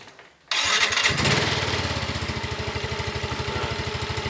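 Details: Scooter with CVT after a CVT service and reassembly, first test start: quick starter spin, then the single cylinder catches and settles into an even, steady idle with no knocks or rattles; normal start.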